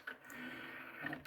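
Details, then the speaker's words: 1992 Sony TC-C5 five-cassette carousel deck, before belt replacement: soft motor whir with light clicks as the carousel indexes to the next cassette; changer working normally. "And then over here you have your skip cassette button to go to another cassette."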